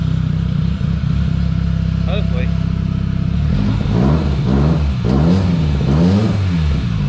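Even steady idle, then several clean blips of the throttle that rise and fall smoothly with no stumble; engine running healthy.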